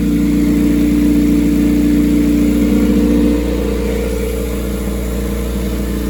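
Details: Rear-engine Honda CRX with custom turbo kit, first start after install: steady, smooth idle with even low hum and slight settle partway through; engine idling healthily.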